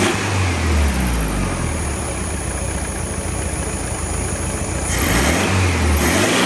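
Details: 1967 VW Beetle air-cooled engine on a stand after tune-up (rear main seal, valve adjustment, timing set): even steady putter with a brief throttle blip settling straight back; smooth healthy idle after tuning.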